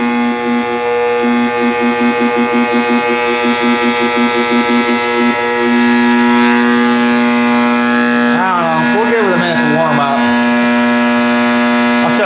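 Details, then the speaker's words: 1960s General Electric black-and-white TV, back off, powered up after a tube was replaced: loud steady hum with a warbling, swooping, rising howl from the speaker; audio fault of unknown cause, possibly more than one issue. "No, I don't. I do not have a dim bulb setup, but it sounds like it's coming out of the speaker."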